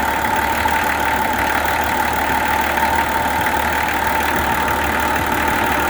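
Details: Nissan LD28 diesel truck engine, just started after glowing with a partly repaired starter, idles with even, steady clatter and no knocks or misses; sounds like a good engine with good compression.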